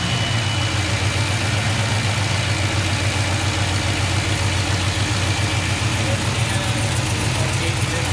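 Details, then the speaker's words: Kaden's K5 Blazer on restart at 145° coolant after a loose spark plug was fixed and a hole plugged. Steady, even, smooth idle, still slightly high but acceptable, with no ticking or misfire. Fuel pressure reads 71 psi against an expected ~58. "okay it's still idling a little high but it's not terrible"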